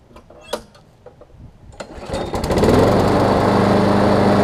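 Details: Craftsman push mower, which had been running too fast and vibrating, after wheel replacement and tightening, blade not yet fitted: pull start, then a steady, even run with no surging or hunting; running normally.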